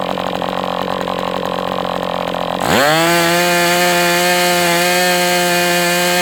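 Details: MDS 68 FS Pro four-stroke glow engine on break-in stand, after carb retuning (idle screw had been tampered with), idle bar plug removed; even idle, quick clean rise to steady high-pitched full-throttle scream without sagging; normal.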